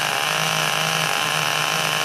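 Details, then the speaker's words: Rebuilt small "3-pounder" mini tractor engine built from spare parts, run with three head gaskets, left running "nice and fat": steady high-pitched buzz with a soft blubbery edge, even and rich during break-in. "All right, I got it together, got it running. Got 3 head gaskets in it right now. I'm just gonna let it run nice and fat like"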